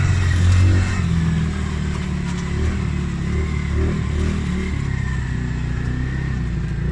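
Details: Polaris Outlaw 50cc quad after carb clean and blocked pilot jet cleared (previously overflow leak, no start), choke on lifting revs. Steady even buzz with light throttle blips, no misfire or stumble: normal running and revving.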